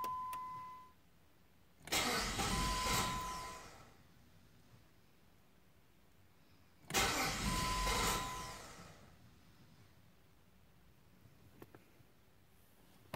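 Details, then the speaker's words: Jeep WK/XK 3.7L V6, hot restart about five minutes after shutdown: two long bursts of cranking that never catch. The fault never occurs when the engine is cold; the owner diagnosed the crankshaft position sensor and replaced it. "I stopped by the store grab something real quick five minutes come back in and basically she makes that horrible noise and she won't start so the sort of like intermittent start"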